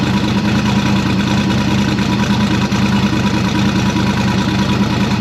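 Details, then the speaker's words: First start since October after build work: strong steady lumpy cam-like rumble, no knocks or rattles, no fuel leaks; runs pretty good with small issues left, like a wobbling AC belt. "well no fuel leaks car runs pretty good it's obviously still little things here there but i am far from bad about it"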